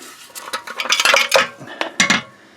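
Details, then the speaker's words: Removed catalytic converter from a 1999 Honda Civic EX 1.6 VTEC D16Y8, shaken by hand: loose clinking and rattling as broken pieces tumble inside; catalyst substrate broken loose, replaced with a new converter. "You can see if I rattle it around, a whole piece of it has come apart inside. And it's actually, the whole thing is broke loose."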